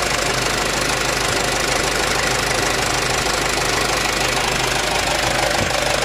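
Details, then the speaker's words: Mitsubishi Canter HDL 136 diesel truck, after the injection pump was rebuilt following a broken timer whose fragments fell into the oil sump: steady, even clatter with no misses or heavy knock. Normal, smooth running with the bearings found unscratched. "Ya enternya suaranya masih halus mesin Ada kemungkinan ya masih normal Masih normal"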